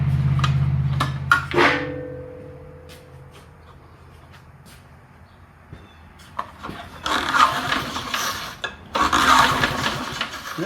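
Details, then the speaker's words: Early-1970s BF Goodrich push mower, engine freed up after being locked from years in a barn, spark plug out: two quick recoil pulls with rapid even whirring, no catch or bind; engine turning over freely. "go she's spinning over she's spinning over pretty decent right now"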